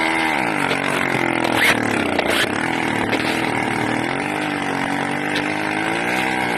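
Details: Buzzy 80cc two-stroke running loud, revs wandering up and down and hunting as if sucking extra air; owner suspects a carburetor or intake manifold leak, unconfirmed.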